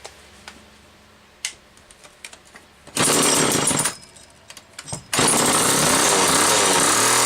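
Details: Homelite XL-2 chainsaw, test run just after repair finished: quiet handling clicks, then two sustained bursts of crisp high-revving two-stroke buzz that catch and hold cleanly. Normal, healthy running.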